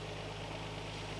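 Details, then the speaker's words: Vehicle's first startup in two years on two-year-old gas, cold: it started almost right away and settles into a steady, low, even idle with no misses, ticks or knocks. It is running cleanly. "i think first startup in two years it started almost right up and it sounds to be running clean it sounds running pretty good so that's good doesn't sound like it's doing anything weird"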